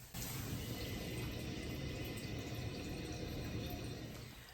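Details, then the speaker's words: Toilet runs constantly, a steady hiss of water flowing with no shutoff; pushing down inside the tank slows it a little; the owner plans to replace the fill valve and hopes it isn't the flapper. Cause unconfirmed. "here it is just running constantly it seems like if I push down on this um it slows up a little bit"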